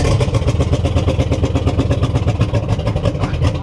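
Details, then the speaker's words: 1960 Chevy Biscayne V8 with a cold carbureted engine being started: loud, lumpy, uneven pulsing with a heavy low throb. It's hurt and running on roughly four cylinders; the cause is being investigated. "it's hurt dude it's rning like four I told you it's mad"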